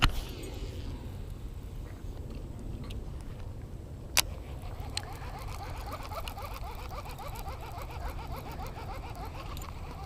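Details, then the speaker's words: Shimano Casitas baitcasting reel burning in a lure fast under load, compared with a Shimano SLX: fast steady whirring with faint rhythmic ticking; the Casitas gears are audibly louder and protesting, gear noise under load. "both of them you know they're they're protesting you can hear them but the casitas is a little bit louder you can hear the gears more on the casitas"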